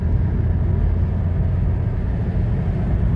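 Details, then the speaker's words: Honda Fit Hybrid, 103,000 km, road test after clutch release mechanism service: low smooth road rumble building steadily, no clunks or jolts between gears; accelerates smoothly with unnoticeable shifts. "Ну-ка, как идет. Хорошо, так плавно разгоняется."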